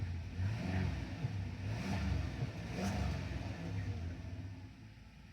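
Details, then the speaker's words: 2006 Dodge Grand Caravan 3.8 just after an ignition coil pack replacement; smooth, even idle with a deep steady rumble swelling gently with throttle, no misfire, all cylinders firing cleanly. "Now I'll fire it up. I kind of confused it there. Look at that. Smooth as glass."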